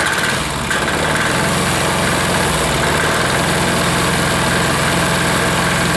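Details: Air-cooled diesel of about five horsepower, first start after reassembly (primed, held on compression stroke): it thumps at idle but keeps wandering and surging and won't settle; it kicks, and the owner thinks something is off a hair and needs adjusting.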